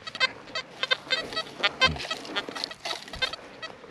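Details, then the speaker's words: XP Deus metal detector with HF coil on a sparky Roman site, raised from 14 to 31.3 kHz. Constant erratic chirps and squeaks with no real target, worse than at the lower frequency; false signals from ground noise at higher frequency. "Absolutely, that's made it worse. Let's go up one more. Let's go up to 54 kilohertz and let's see what it does now."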